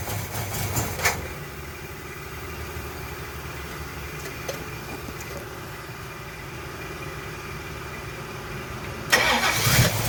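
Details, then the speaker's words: 1970 Pontiac LeMans, rebuilt 455 bored to 461, 6X heads, Quadrajet carb, right after wiring in an MSD 6AL-2 ignition box: brief crank, V8 catches and settles into a steady, even idle without misses; normal start. "She's alive! She's alive!"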